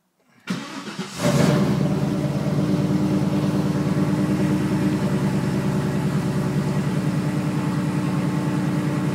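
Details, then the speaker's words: Rampage that won't run properly, with no P0300 code, only a long-standing P0463 fuel sender code; coil packs and plug wires were checked and there is a bad exhaust smell. Lumpy idle stumbling about three times a second. Suspected misfire. "it seems like it's misfiring the only thing is it's not throwing a DTS code that says Pio 300 or anything like that the indicates misfire"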